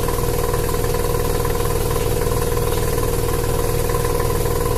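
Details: Mazda Savanna RX-7 SA22C 13B rotary with stock exhaust: loud steady drone with a choppy, uneven pulse about twice a second under boost; misfiring.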